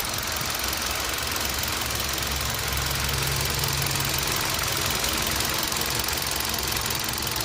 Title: Ticking sound from engine